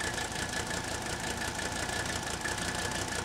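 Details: Old Mercedes-Benz diesel, warm, started without glow plugs, with air still in the fuel system: clatter at idle with a faintly uneven, loping beat of about three pulses a second, improving slightly. Rough idle misfire, one cylinder still rough.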